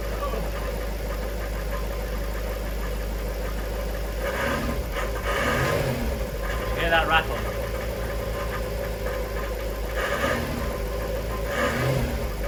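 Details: Jaguar XK8 idling in a garage, shifted through reverse, D, 4, 3, 2 and neutral after a Transgo pressure regulator valve upgrade and fresh ATF: intermittent metallic rattle bursts over a steady idle, with burning smell in reverse; rattle not cured, cause unconfirmed.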